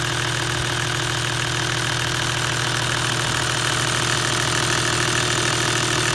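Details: 1HDFT diesel at idle: a loud, fast, even metallic rattle of about three per second, steady throughout, from the front of the engine; source unknown, timing gear or injection pump suspected.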